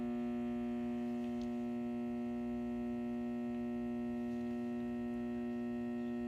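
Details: Satco 150W high-pressure sodium ED17 bulb, made April 2013 and 6.5 years old, runs on an S55 magnetic ballast. A loud, steady low hum with a buzzy edge never wavers while the failing, cycling lamp burns; the ballast hums loudly.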